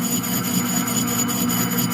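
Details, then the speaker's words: AC 300 4x4 centrifugal clutch drum being machined after slipping clutch, grooved and rusty from old clutch: harsh cutting rasp pulsing about five times a second as tool hits high spots; drum out of round. "Yeah, the old clutch kind of wore some grooves, and we had a little bit of rust in there, so we're making it round for one. It wasn't round. You hear it pulsing. That's from it being not true."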